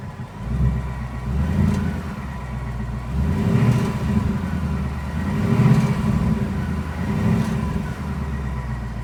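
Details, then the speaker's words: 2020 Mustang GT PP1 with 10R80 automatic at 800 miles, warm engine, throttle blipped up and down: a low whine rises and falls with the revs over the V8. It sounds like a failing alternator but isn't; present since new and called normal by Ford. "And I'm going to gas the car up and down the throttle, and you can hear the whining noise going up and down. It sounds a lot like a alternator that's going out, but I assure you, it is not."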